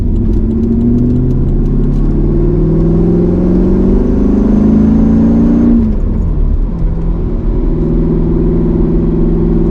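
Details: Mercedes C55 AMG, driving on a mild ~60°F January day after a crankshaft position sensor replacement: revs climb under throttle, then on lift-off drop only partway and hang at a steady raised hum near 2,000 rpm; cause not yet found.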